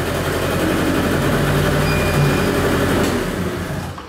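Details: Kymco Vitality 50 2T scooter on a lift with weak pulling: steady two-stroke buzz, then revs sag and fade as the brake loads it; engine bogs, attributed to the clutch.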